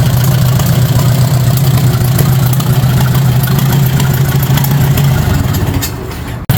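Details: 1953 Farmall Super A barn-find tractor, first crank after carburetor cleaning (jets cleaned, stuck float freed) with gas bottle-fed through a short fuel line: engine fires and settles into a steady, low, throbbing run for about six seconds before shutting off, sounding healthy.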